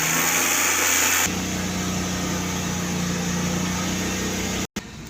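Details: Suzuki Cultus with carburettor, after CDI and coil replacement: engine held at raised speed with a smooth, even hum and no misses.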